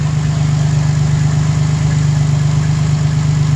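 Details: 2011 Dodge Nitro 3.7 V6 idling after new alternator and PCM replaced and programmed (faulty field coil high-side driver), now charging: strong, even low hum with steady firing beat, nothing irregular; normal idle.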